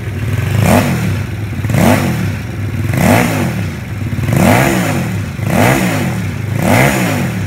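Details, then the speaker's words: Vietnamese-built mini Ducati-style L-twin motorcycle, started after fitting the tank and exhaust, with the oil pump being checked. Crisp throttle blips about every second, climbing cleanly and dropping back to an even idle: a healthy engine. "Rồi, giờ sẽ tiến hành khởi động nổ máy lại để cho các bạn nghe tiếng máy cũng như là kiểm tra cái bơm nhớt."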